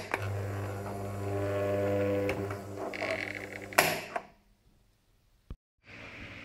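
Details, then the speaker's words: Desk fan that had slow startup (10 s to minutes before spinning), then stopped; thermal fuse had continuity, capacitor replaced; after reassembly the motor hums steadily, spins up promptly, no rattle or scrape, running normally. "after reassembling all the parts the fan is working as normal again"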